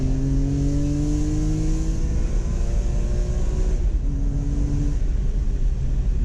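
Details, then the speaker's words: BMW E46 M3 inline-six after a VANOS rebuild and valve adjustment. A clean, even note climbs smoothly with the revs and settles back without tick or rattle, so running and revving are normal. "There it is. Everything runs great on the car. The car sounds amazing and runs amazing."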